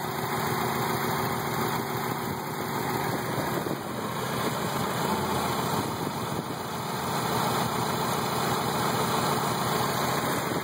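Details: 1990 Mazda Miata holding idle speed at spec but with an uneven, lumpy beat and low shake, the entire car and motor rocking back and forth; rough idle, owner suspects a possible crank problem.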